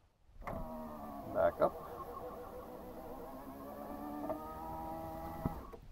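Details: 1995 Land Rover Discovery power window after regulator spot-weld repair and greasing: steady even whir down and up, faint strain, slight binding; regulator working after repair.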